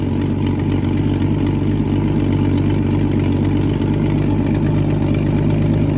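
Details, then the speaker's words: 1963 Ford Falcon Futura, 170 inline-six, parked 25 years, with a new carburetor, running way rich at idle with over 40 psi oil pressure; slightly lumpy, uneven low beat, rough idle that cleans up as the mixture screw is turned all the way in. "Yeah, it's cleaning up. Way rich. Yeah, no wonder it's running so rough."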